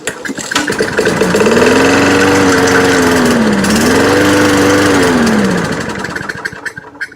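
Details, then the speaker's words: Free, trashed lawn mower first start after fixing a stuck carburetor float and a fuel leak: it backfired, catches, then its speed swings up and down twice before dying away. Runs rough, though it does cut grass. "so it doesn't run too good but it does run and it does cut grass"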